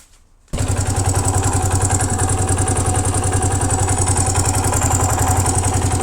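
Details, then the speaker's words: 1982 Honda XL250R single-cylinder at idle: thumping with a sharp metallic clatter on every beat from the top end; suspected causes are valve clearance, piston rings or piston pin, cause not yet known. "Okay, we heard this noise. The noise is coming from the top end. For the noise, I see three possible reasons. First suspect is valve clearance, which means I need to adjust the valves from here."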